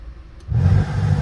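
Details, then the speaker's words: 2001 Honda Odyssey LX, engine idling, AC on: blower silent on manual settings, then a steady rush of air cuts in only on auto after a few seconds; failed HVAC blower motor resistor, fixed by replacing it. "so right here is the blue they call it blue motor resistor this piece right here so this piece is bad"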